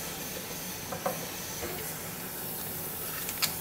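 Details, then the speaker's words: Old gas-conversion boiler (formerly oil) refilling; the feeder is doubtful and it may need an expansion tank. Steady airy hiss with small clicks and spits as trapped air vents until water comes; normal bleeding. "Letting the air out. You can see it. Just letting the air out. Here comes the water."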